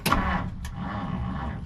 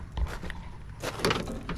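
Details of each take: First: 1959 Plymouth Savoy, off the road 15+ years, cranks but won't fire: short, strong starter churn winding down evenly, no clicking or dragging; good healthy crank while checking fuel delivery. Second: 1959 Plymouth Savoy abandoned 15+ years, on a temporary fuel tank: after handling noise the starter churns evenly about seven seconds but engine never catches; crank no start, fuel delivery suspected.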